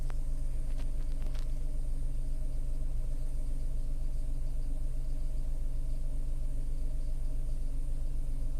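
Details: Tata Altroz naturally aspirated petrol, around 12,138 km: steady low idle rumble with an even beat around 150 per minute and no knocks or ticks; healthy normal idle.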